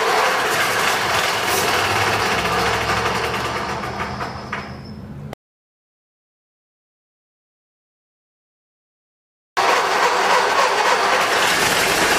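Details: 1920 Seagrave fire engine, first start in 60 years after a full engine rebuild, exposed engine with compression release off: it catches and settles into a steady even beat amid crowd noise; normal start and idle.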